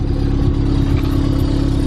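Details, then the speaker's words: Car exhaust with a sports cat, started for the second time in two weeks; a metallic buzzing rattle rides over the revving engine. Owner suspects the heat shield. "is it might be the heat shield who knows but let's check the car up that's all my rambling all the way on video so this is the current rattle that I have"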